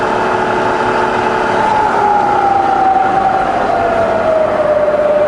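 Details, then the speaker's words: Bridgeport milling machine, variable speed head, 42-inch table: spindle in reverse wound down from about 1000 through 900, 600, 200 to 60 rpm; smooth steady whine falling in pitch, no knocks or grinding; running great. "900 600 200 wouldn't an about down to 60 in Reverse 140 to 20 all running great"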